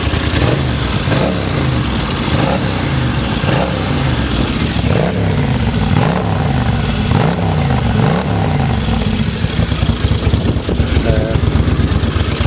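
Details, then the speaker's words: 1983 Honda GL650 Silverwing Interstate, restored, stock 650 V-twin with electric water pump, new head gasket, five-speed, starts well cold or warm: deep loud twin blipped repeatedly, clean pickup, slight overrun crackle; normal revving. "you can see it starts well from cold from warm it's not a problem so you can hear hopefully this sounds here a little bit or raucous has a nice little castle on the overrun"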